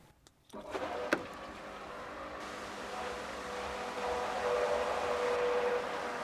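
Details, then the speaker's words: New Davey pool pump replacing old loud Onga pump: click, then soft, even motor hum with steady mid tone, no rattle or grind; healthy and much quieter than the old pump. "It's alive! that is so much quieter than the last pump that we had."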